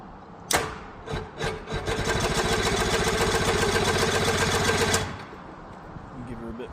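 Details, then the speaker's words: Quicksilver ultralight, starter recently rebuilt, attempted start with brake held: slow, laboured cranking about four turns a second for three seconds without firing; battery sounded a little weak. "Battery sounded a little bit weak."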